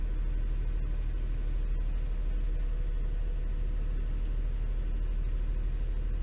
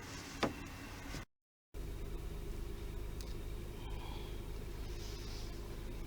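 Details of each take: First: Toyota 3.0L/3.3L V6 misfiring and shaking badly at idle, vibration felt in steering wheel, check engine light flashing on revving: lumpy low rumble rising in pitch; caused by faulty VVT-i oil control valve, cleaning failed, replaced. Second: Toyota 3.0L/3.3L V6 idling after a new VVT-i oil control valve was fitted to cure shaking and misfire: a steady, even low hum with no stumble or shake in the rhythm, smooth and healthy.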